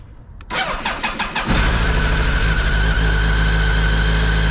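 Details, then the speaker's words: 2007 BMW K1200GT, 50,000 miles, about 500 miles after fuel pump and cracked hose replacement, cold start in neutral at 40°F: about a second of uneven cold cranking, then a smooth, steady idle; healthy. "And to show you guys, you might be like, oh, it sounded weird when it cranked. Yeah, it's 40 degrees out. It's freaking cold."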